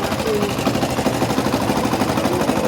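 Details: Yamaha Factor 150 / Crosser 150 single-cylinder idling after a new starter gear was fitted: fast, light metallic rattle over the exhaust pulses from clutch basket (campana), reduced when the clutch lever is pulled, returning when released.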